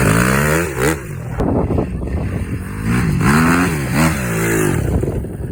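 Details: Honda CRF270 after rebuild: clean crisp revs rising and falling smoothly with an even exhaust note and no knocks or rattles; engine sounds healthy.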